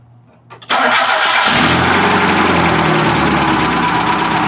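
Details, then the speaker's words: 1991 Mazda Miata burning oil, started for listening before compression test; cranks, catches, then busy idle with light uneven clatter riding on top, a top-end rattle; cause unknown. "that is burning oil and it's bringing oil and making a rattling sound from the top end"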